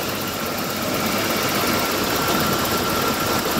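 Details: 1988 BMW 325ix E30 blower motor, removed for a squeak and lubricated with WD-40 where the wheel meets: even rush of air with faint steady motor tone, no squeak; blower runs smoothly.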